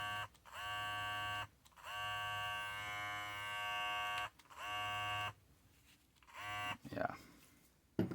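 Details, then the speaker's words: Babyliss 870 clipper, about five to six months old, after fix: blades realigned to zero gap, retightened and oiled while running, cures its loud noise; smooth even buzz at steady pitch, no rattle; sounds healthy. "Always got to lube it up at the end while the machine's running. Yeah, you hear that? That sounds so much better."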